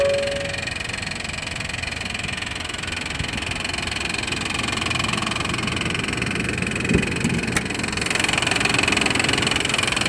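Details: 1995 Honda Passport (rebadged Isuzu Rodeo) 3.2 V6, long-running racket at idle: busy clattery idle with rapid tapping about three to four a second over a hissy engine bay; owner suspected exhaust leak but fears worse, cause unclear.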